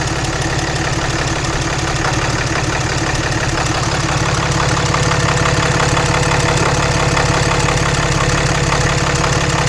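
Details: 2014 Ram Mega Cab 6.7 Cummins diesel just started after CAT 1R-0750 fuel filter install, about 10–11 PSI fuel pressure: steady deep idle, even clatter about three beats a second, no misses, knocks or rattles — normal healthy idle.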